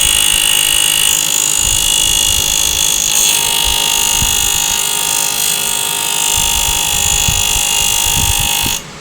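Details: Asus R9 280X graphics card at 100% fan speed: high fan whoosh with a steady pulse near four beats a second; blades appear to slap the plastic cover.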